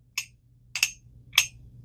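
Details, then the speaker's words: Ultralight spinning reel bought at auction: a sharp dry knock about every 0.6 seconds as the reel turns, with either spool, stopping once the spool is removed. Internal knock from the oscillation gear striking a screw; parts on order. "And here's the problem with this reel. You hear that? It don't matter which spool I put on here."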